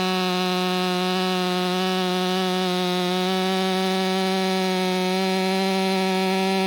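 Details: Ported Stihl MS500i (Empire Workshop) on a 32-inch bar with an unmodified MaxFlow plug-and-play air filter gives a high, steady wail that holds pitch through the cut without bogging; saw pulls strongly under load, normal.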